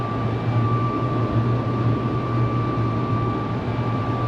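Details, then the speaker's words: 2012 Jeep Wrangler Sport, manual, driving above 55 mph: steady thin whistle near one kilohertz over road and engine rumble; wind whistling across the roof light bar. "One is I got to do something about that light bar. I don't know if you can hear that little whistling sound or"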